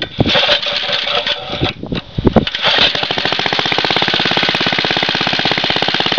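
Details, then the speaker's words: Very old Briggs & Stratton 2 hp four-cycle gasoline lawn mower with a new spark plug, just pulled from the shed after a long while: after a few pulls it fires into a fast, even popping beat, steady with no misses. Runs well. "This is a really great old machine, and yes, it does run. It runs beautifully. Sounds like a 4-wheeler when it runs."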